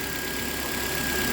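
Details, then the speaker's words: 2010 Nissan Altima 2.5 with a misfire, started after the oil-fouled intake was cleaned: misfired briefly, then cleared as oil burned off, settling to a steady, even idle with no knocks or ticks and a faint constant high tone. Normal idle. "yeah missed fire for a little bit and now it's cleared up there you go you burn all that oil off cool"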